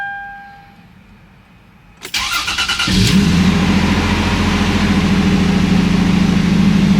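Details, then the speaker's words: 2006 Toyota 4Runner after oil pan gasket replacement and fresh oil: quick crank catches in about a second, then steady smooth low idle with no knocks or ticks; no leaks found afterwards; normal start and idle. "okay we got oil within the engine now I'm going to start it up and let the oil circulate and see if we have any oil leaks"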